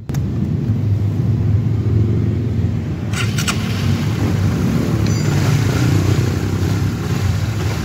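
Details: Honda GTR motorcycle that had a rough engine noise, after replacing the chain tensioner: steady, even low rumble with no ticking or rattle from the top end. Now running healthy and smooth.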